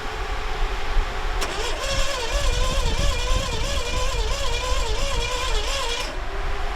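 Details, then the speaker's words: DIY AWD turbo V6 S10 after a wet 0-60 run of 4.59 s, timing about 15 degrees too advanced, boost timing-retard diaphragm vacuum line disconnected: no normal combustion sound, only a wavering blender-like whir that rises and dips with throttle; internal damage suspected. "And the engine doesn't do engine stuff anymore. It doesn't make any engine sounds. It sounds like a big blender or like, you know, a stand-up mixer."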